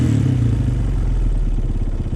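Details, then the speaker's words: 2003 Honda CRF230F after an airbox change for more airflow: after a blip the single-cylinder idle hangs a few hundred rpm high, then drops about half a second later, showing it is running leaner. "It It settles back down, then it hangs at like a few hundred above where idle is and then like a half a second later it goes back down. So that means it is running leaner."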